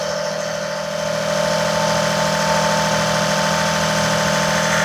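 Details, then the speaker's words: Daihatsu S210P mini truck engine first started after two years out of service, with a new OEM camshaft and phaser and fresh spark plugs, 180 psi compression, alternator not connected. Smooth, even idle with a faint hum and no knock: normal idle. "She's running that 180 lbs compression. Man, this thing sounds good."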